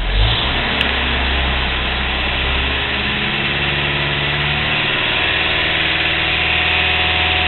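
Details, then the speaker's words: Engine just started cold, about five seconds in: steady, smooth idle with an even hum and no tick or lower-end knock; owner later notes a slight vibration, possibly the cam. "everyone has told me it mean if its lower end usually you're going to hear that either constantly but definitely worse when it's cold because oil is just getting circulating etc and mine doesn't do that"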